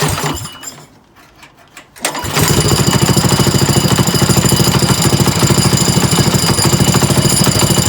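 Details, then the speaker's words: Small single-cylinder trike engine, pull-started: rapid, even knocking at idle; owner was unsure if top or bottom end, later found to be the clutch. "okay so I think the knock is still there but it's I'm not sure if it's a top end or a bottom end knock it might be at bottom end but it could also just be me"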